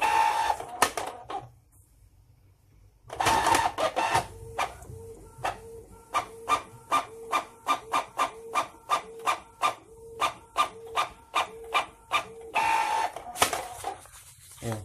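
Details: Canon printer: a quick train of harsh clacks with a rough hum, about three per second, as the mechanism cycles; a loud, noisy printer with no cause stated.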